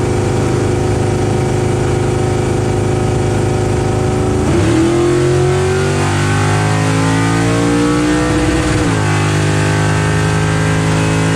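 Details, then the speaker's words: LS-powered Camaro bracket drag racing: V8 screams up and hangs at top, popping, after missing the 1-2 upshift because the RPM shift selector was set to 7,900 instead of 7,000. "The car didn't shift on the 1-2 shift. Somehow my shift setup for the RPM selector is set for 7,900. So it went from 7,000 to 7,900."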